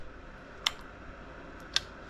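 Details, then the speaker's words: Power Wheels Jeep being rewired to 24 volts with a 30 amp circuit breaker and relay; two sharp, crisp clicks as the switch operates. The relay is pulling in cleanly and working normally. "the relay switching on and then push this boom kills everything turns it back on that's what I got wired so far"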